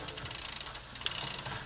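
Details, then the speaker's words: Rambo bike rear derailleur, shifting up through gears: quick bursts of ratcheting clicks and slight grinding as chain hesitates and sticks; cable tension too low, adjusted by turning barrel adjuster about a quarter turn for more tension. "you can see what it makes that noise a little bit that grinding and stick it a little bit so good just add a slight bit more atten"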